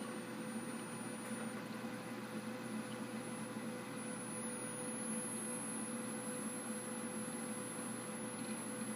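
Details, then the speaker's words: Dell Optiplex 760 (Core 2 Duo E8600) with a bad power supply, heard as the unit switches off: piercing high-pitched coil whine over faint fan hiss, rising slightly. The supply was replaced with a Dynex 400 W unit. "Wow, that's high pitched and it hurts. I'm in my mid-30s and that makes my ears bleed."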